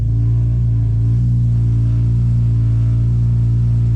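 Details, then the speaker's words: BMW S54, cold start idling at about 1100 rpm, before the dual section 1 exhaust mod: deep, steady droning vibration as the exhaust rubs on the transmission tunnel; there is also an unlocated exhaust leak. "so it's rubbing on the transmission tunnel right about there and then yeah so i also have an exhaust leak somewhere"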